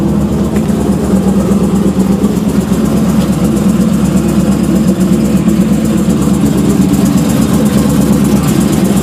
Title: Weird noise